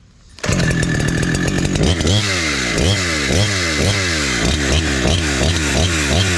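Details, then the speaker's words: Husqvarna 372 clone chainsaw with Hexa chain, carb newly tuned in the wood and set a little safe, cutting an old log: a strong high rev in the cut that four-strokes with a rich burble coming out. Healthy tune. "So it's high revving. It's revs a little higher, but when I come out of the cut, it is four stroking because I'm t I tuned it in the wood."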